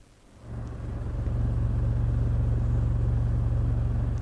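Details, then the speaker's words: 1958 Tektronix Type 502 vacuum-tube oscilloscope under restoration, full of sawdust: its big rear cooling fan heard as a low, smooth hum that swells, holds steady and fades. Normal fan operation. "it's got a massive fan in the back and you can hear it running listen"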